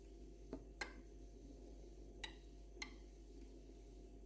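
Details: Two-year-old Atlant refrigerator: faint low hum with sharp irregular creaks, crackles and clicks a second or so apart, constant whenever the compressor runs since new; nothing done under warranty, cause unclear.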